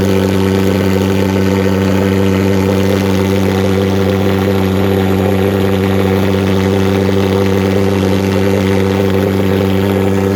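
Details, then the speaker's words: Vectorfog H100SF gasoline pulse jet thermal fogger on VP Racing canned fuel, started by holding the start button 8–10 seconds, solution tank shut: loud, unbroken buzzing drone at constant pitch, no popping or misfires; normal running. "you'll hear it fire off it might pop and snap a couple times once it's running you'll know it"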